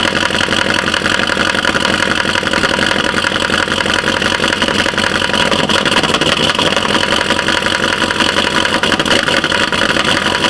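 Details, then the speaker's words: 2012 Chevy Caprice PPV 6.0 LS V8, cold start, a month after DOD delete, stage 2 cam, new lifters and rockers: fast sharp ticking over clattery idle, seemingly from driver's side, louder with rpm; no misfire codes. "okay time to start this up and uh I'm sorry my neighbors I really apologize in advance so it sounds like it is from the driver's side"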